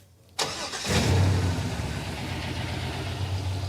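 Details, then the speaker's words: '86 Trans Am with swapped 350 V8 and six-speed: lumpy, uneven idle with at least one dead cylinder on one bank, running on six cylinders; misfire. "when you listen to this side versus is that side it's not the same these ones are all firing on this side yeah now come over here got at least one dead hole over here yeah yeah this is not happy over here yeah the engine doesn't run right it's running on six cylinders"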